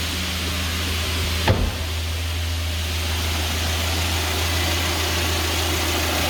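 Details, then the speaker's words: 2020 GAZelle Business, UMZ-4216 Evotech 2.7, 823 km, warmed to about 90-95°C after replacing one hydraulic lifter that tapped hot: steady even idle, one brief click, no tapping; normal idle. "двигатель у нас прогрелся температура примерно 90 95 вот уже более менее то есть тише работает уже никакого стука"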